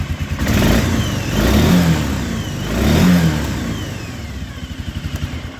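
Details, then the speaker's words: 1996 Arctic Cat Bearcat 454 ATV that cut out, after unplugging the brake switch and looping its connector: engine picks up cleanly on two throttle blips and settles smoothly to steady idle; running properly, faulty brake switch blamed. "sounds like it's revving to me not sure why that would cause that but if it works the customer will be just fine with that brake switch not working"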